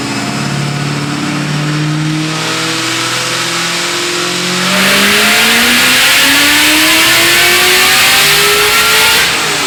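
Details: Built, cammed 2003 Ford Mustang Cobra with Borla ATAK exhaust, around 700 hp, freshly retuned to 22 psi boost on 93 pump fuel, driven in cold rain around 30 degrees: strong, clean revs climbing smoothly through the gears, crisp even exhaust note, no stumble, running healthily.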